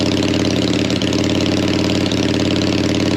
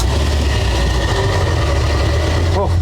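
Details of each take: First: Harley V-twin, likely the XLCH just refitted with its gas tank, low on fuel: even, lumpy big-twin idle with a steady rhythm, no misses or stumbles; engine runs healthy. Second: Old truck fired up: heavy, uneven low rumble at idle that never settles into a clean beat; it runs rough but keeps running, cause not identified.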